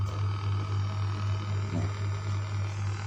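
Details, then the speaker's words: Homemade power amplifier in a wooden box, volume at maximum, with a steady low mains hum and faint buzzing overtones coming from the Bluetooth crossover feeding it, in the mid channel, not the bass; ground loop hum from the crossover. "Oh ya, sebelum memutar lagu, aksesori seperti crossover ini juga bisa menghasilkan dengungan, lho."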